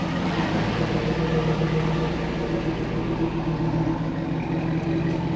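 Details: '02 Trans Am freshly swapped to a 6.0L LQ4 V8, replacing the knocking 5.7 with a hole in the block: deep, steady idle with even lope, no knocks or ticks; healthy engine.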